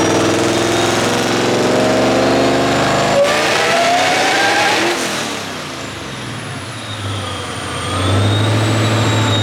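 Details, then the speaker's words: 2014 Shelby GT500 with Trinity engine, 12:1 compression, 17° timing, on a dyno making a hard pull toward 7,000 rpm: the revs climb, then the note breaks up and stutters; still misfiring. "so it's still doing the same thing it's still doing the weird misfire"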